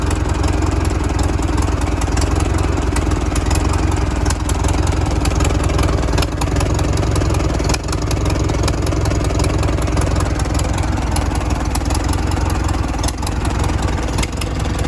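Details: 1942 Farmall Model H petrol/paraffin tractor, hand-crank start, first run after sitting many years: loud, steady, low-pitched idle with an even beat and light clatter on top; settled and healthy.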